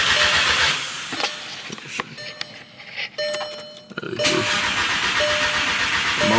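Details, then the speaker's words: Crank-no-start on an MK6 GTI with its replacement engine just installed: two bursts of steady rhythmic cranking with a pause between, never firing. With one motor's ECU it reads immobilizer active; with the other motor's ECU, key not found. "When I have the the ECU from this motor, it says immobilizer active. When I have the ECU from that motor, it says key not found."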